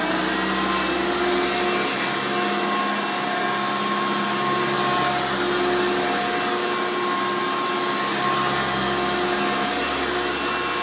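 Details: Hoover Runabout Deluxe U5064-930 upright vacuum (2000), motor rebuilt after dry, seized bearings made it sound rough; loud, steady high-pitched scream with an even hum, no rattles or grinding: normal running after rebuild.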